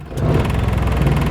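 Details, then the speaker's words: Carbureted engine, formerly stalling with AC on, after fitting an AC compressor clutch damper box; engine picks up and holds a steady even idle under AC load, no stumble or dying. "ครับจะไม่มีหลับแล้วอย่าหลอกจะนิ่งเลยนะครับจะไม่มีดับล้ะนะครับ"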